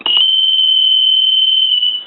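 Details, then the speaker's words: Stone piano telephone after repair with redesigned piezo buzzer ring cycle: steady loud high-pitched buzz holding about two seconds then cutting off cleanly; ringer working normally. "okay so now we know the telephone is uh repaired give you some D tone and that uh it's functioning and it's repaired"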